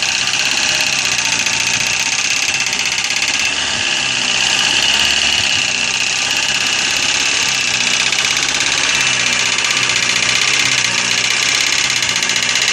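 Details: Corsa engine at steady idle with a constant fast metallic ticking, loud in the treble, from hydraulic lifters slow to pump up because of a dirty oil pickup in the sump.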